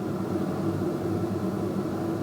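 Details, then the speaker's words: Teac A-H500i amplifier, right channel after three days of operation: a steady hiss with a low hum and no music or amplification; amplifier channel noise. "it's a noise on the right channel after three days of operation these failures occur and on the right channel it's this noise with no amplification"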